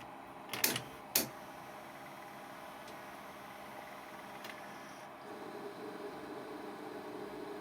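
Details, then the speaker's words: Ferguson Videostar 3V36 VHS video recorder after an earlier repair: two mechanical clunks, then a steady whirring hum builds as the tape drive runs, from a noisy capstan motor about to be replaced. "That's the capstan motor making that noise. Now I've managed to get hold of a replacement motor and I'm going to fit that today."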